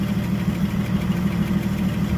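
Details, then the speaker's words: 1976 Ford Power House engine, oil diluted with gas: rough, lumpy idle with rapid, regular puffing tick over the low rumble from an exhaust leak. "Got an exhaust leak."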